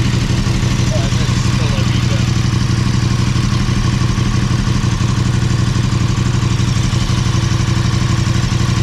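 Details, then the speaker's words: KTM 1290 Super Adventure S near 20,000 km, right after oil change with Castrol 10W-50: even V-twin idle with light quick tick about four a second at first start until oil circulates and oil light goes out; brief valvetrain tick. "you'll hear it when it first starts up you'll hear it ticking till oil gets through the engine"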